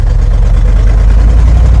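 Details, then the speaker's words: Squarebody plow truck V8 after sitting for years, new battery, 60°F cold start without touching the gas: deep, even rumble with steady firing and no knocks, ticks or misses; running healthy. "Oh yeah, it's really coming around. It's running great."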